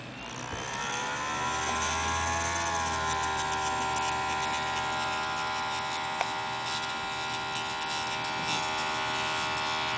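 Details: Dell XPS 1340 laptop DVD drive TSSTcorp TS-D633A spinning up with a strange steady whirring buzz and a cluster of high whining tones; cause and fix unknown.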